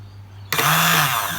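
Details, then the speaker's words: Suzuki Quad Runner 250 restoration, starter relay bench-wired with its coil on alligator clips, starter temporarily mounted: a sharp relay click, then the starter spins up at once to a steady, even whir. Relay and starter motor working normally. "is running starter motor temporarily mounted to one of the mounting points there so that it's not flogging around like it was before this starter relay is working fine"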